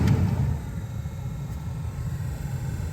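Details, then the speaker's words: 2004+ Saab 9-3 cabin blower on its lowest setting after the blower resistor was replaced: a low, steady, airy hum with no rattle or whine. The fan sounds healthy, the resistor is warm to the touch, and no water damage was seen. "So you can hear the fan a little bit. So it does not look like there's water damage here."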